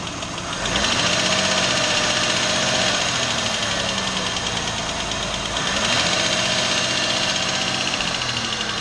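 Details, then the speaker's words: Running petrol car engine: light quick tapping about four ticks a second, described as typical valve ticking from worn or malfunctioning valve-train parts; cause suspected, not confirmed. "این صدا معمولاً به صدای سوپاپ هم مشهوره. خب همون طور که می‌دونید سوپاپها وظیفه باز و بس ورود خروج حالا هوا و دود رو بر عهده دارند."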